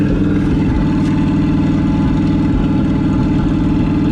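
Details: 1968 Ford truck V8 running on fuel sucked from a supply after a suspect pump rebuild: uneven, stumbling idle with a lopsided, skipping beat; it is missing on one cylinder.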